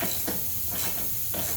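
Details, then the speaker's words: Honda self-propelled mower during maintenance: a steady, hard, unbroken hiss of compressed air escaping from a leaky air hose, no change in pitch. Air hose leak. "In case you're wondering, these Hondas or some of them NGK got this leaky air hose. So you guys get to listen to that"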